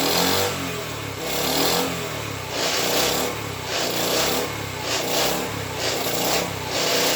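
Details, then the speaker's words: Rebuilt Honda ST50 engine first start attempt on choke after kickstarting: revs surge and dip roughly every second, hunting unevenly; rough running, owner unconvinced and plans to source another ignition coil. "I'm still not convinced of that car at least he's running that's something"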